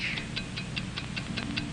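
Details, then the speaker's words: Hamilton mechanical watch heard up close over soft music: crisp, even ticks at a steady five per second, a healthy watch running accurately. "you go whatever you do America's fine watch ticks steadily accurately on five ticks every second"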